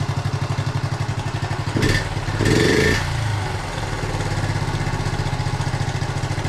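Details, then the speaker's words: 1976 Honda Z50J1 Monkey with a freshly changed spark plug, during carb mixture screw adjustment: the idle turns uneven and lumpy after blips as the screw is turned out; rough running from the rich/lean mixture setting. "Just turn it into where it wants to die. About there. And then turn it out till it wants to do the same, if it will. Starting to run rough there as well, so"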